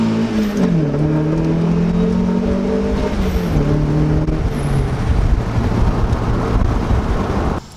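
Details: Turboed Mazda Miata (CX Racing V2 kit, different turbo, FMU adding fuel under boost) on boost pulls in roughly 105°F heat index with a new budget 340LPH fuel pump: pulls hard with a clean rising note through the gears, no hesitation; fuelling healthy.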